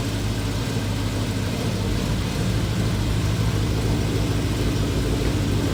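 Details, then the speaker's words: VW Transporter with RS4 V8 and twin turbos: deep, even idle burble, steady beat, no puffing or ticking; sounds better than before. "Now, that does sound like a V8. That does sound better. Sounds better. Oh, it sounds a lot"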